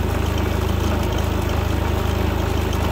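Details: New Predator 3500 inverter generator, warmed up and restarted without choke on the run setting: smooth, even low thrum, steady pulse around 220 a minute, no misses or knocks; idling normally.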